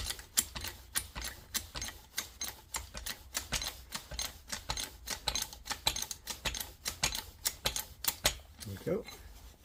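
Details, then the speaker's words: Trolley jack tested after an oil top-up and refitting the bung. Steady pump strokes with crisp clicks a bit under two a second, no stutter or slipping; the jack lifts normally. "It's rising up quite nicely now. Same thing on this end. All good."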